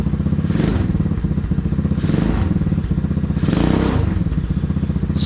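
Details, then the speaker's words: Small single-cylinder engine in a 607 lb tractor project after carburettor jet changes (17.5 slow jet): a quick, even putter with throttle blips and no knocks or rattles; it runs clean but won't idle below 3,000 rpm. "far that sounds pretty money actually it does not want to idle still below 3 000."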